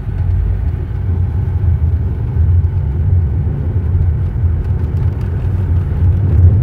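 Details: Vehicle rolling after a worn dust shield was repositioned: only a smooth steady low road rumble, with none of the earlier loud cracking or clunking.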